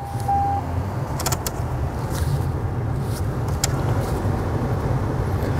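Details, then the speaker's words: 1998 Ford Contour after a replacement blower motor was installed: a steady, even low hum and airflow rush with no squeal or ticking, working on all speeds, so the resistor is good. Normal blower motor operation. "is good, because If it only worked on high, that would mean that the resistor is bad, but it works on all speeds, so the resistor is good. It's moving air."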